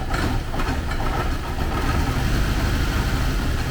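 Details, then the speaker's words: 1979 Porsche 924 engine, first run after sitting, just after adding fuel: uneven lumpy idle with wavering low rumble, no knocking or ticking; running poorly. "we'll just see what happens if i put some fuel in it not running very well but it is running i don't hear anything bad in there"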